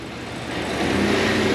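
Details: Cadillac Escalade ESV 6.2, 2WD, after replacing the liquid engine mounts to fix an engine-shaking condition: in drive against the brake, it picks up smoothly from idle into a steady rev with no shudder or knocking; sounds healthy.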